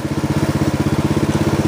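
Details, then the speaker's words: Snapper riding mower, client's machine, driving uphill in high gear at low engine speed: steady, even low single-cylinder thump with no slipping or dips; drive system working perfectly, a good test of drive health. "this one's working perfectly fine that's a good way to check the health of your machines drive system"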